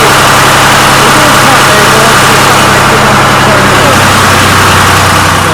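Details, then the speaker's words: Restored 1993 Lombardini diesel generator, started on an old weak battery: loud, steady diesel clatter at an even idle with no misses or hunting; oil pressure light went out instantly, showing good oil pressure. Normal idle. "that's the oil pressure it went out instantly so we've got great oil pressure"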